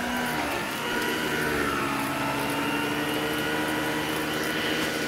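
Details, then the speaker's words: 1973 Electrolux 1205 canister vacuum with the power nozzle running, motor replaced about a year earlier: smooth even motor whine and steady airflow rush, no knocks, running normally. "sounds pretty good. Like I said, I just replaced this motor about a year ago."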